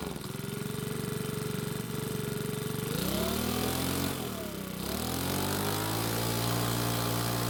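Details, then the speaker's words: Makita small four-stroke leaf blower after carb repair, cold: steady buzzing idle, revs sag and recover before settling smoothly; a bit cold natured but runs well at normal temperature. "so it seems to be a bit cold natured which is typical of small four-stroke engines but once it's at normal temperature it seems to work really well"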